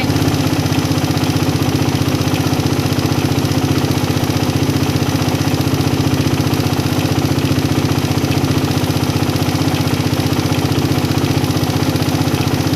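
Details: Motorcycle carburettor set by closing the air screw then opening to the highest-rpm point: even, steady putter at idle with no hunting, surging or misses; mixture set right and idle stable.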